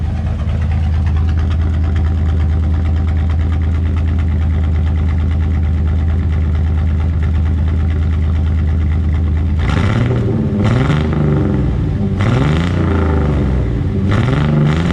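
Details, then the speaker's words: Chevy S10 V8 race build after PCM swap and dyno tuning, warmed up, camera by the exhaust: steady deep idle and clean throttle blips with no popping or misses as before; runs healthy. "you can put the camera down by the exhaust see if you can hear it popping like it was"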